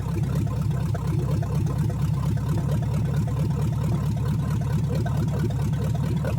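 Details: 1970 Chevrolet Chevelle V8 just reassembled and first run after sitting in a field, timing set by hand: steady deep idle with a lumpy beat underneath, seemingly one cylinder down; cylinder misfire at idle, cause suspected, not confirmed.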